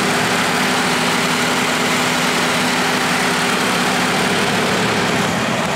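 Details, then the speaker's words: Idle after fitting a new clutch slave cylinder in a cable-to-hydraulic clutch conversion; even, steady idle with a faint constant hum, and the earlier squeak is gone: normal clutch at idle, no squeak. "I just got the slave put on and I don't know if you can hear it or how well you can hear me even but it's not squeaking anymore"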